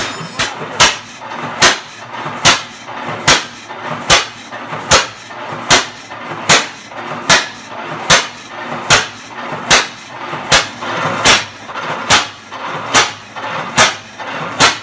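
Crisp, evenly spaced firing bangs a little over once a second, each with a ringing exhaust bark; the old engine runs steady and sound.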